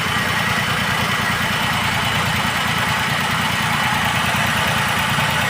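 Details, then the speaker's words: Maruti WagonR CNG/petrol idling on petrol with an uneven, stumbling beat from a single-cylinder misfire attributed to a broken injector ground; it runs perfectly silent on CNG once warm. "यहां पे देखिए जो missing है गाड़ी में यही है"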